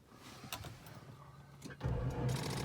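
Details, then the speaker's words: Abandoned 1989 Jaguar XJ6 Vanden Plas, unstarted for years: faint, dragging crank that never gains speed; battery (from 2012) lacks charge, later replaced with a new battery. "Oh boy. It doesn't have quite enough juice. Oh boy. I'm gonna have to throw that on the charger."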